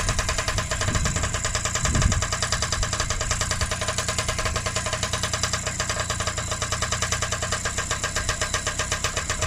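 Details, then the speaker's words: Freshly rebuilt Honda QR50 two-stroke started outdoors in the yard, oil topped up, little petrol in, new carb fitted: even, crisp ring-ding with a steady rapid beat, no misses or rattles; normal running. "So we'll take it in the yard, start it up, see how it runs."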